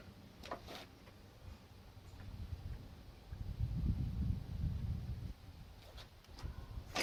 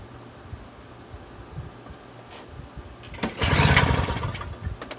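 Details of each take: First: Toro CCR2000 single-stage snowblower, possibly 1990s, 4.5 hp Suzuki two-stroke with Mikuni carb, 50:1 fuel mix, after cleaning carb bowl and main jet with brake cleaner; fires after a few quiet seconds and settles into an even, steady run with no misses. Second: Toro CCR2000 single-stage snowblower, possibly 1990s, 2-stroke 4.5hp Suzuki with Mikuni carb on 50:1 mix, primed and choked: quiet stretch then one hard rasping recoil pull that never catches; fuel bowl fouled, no start.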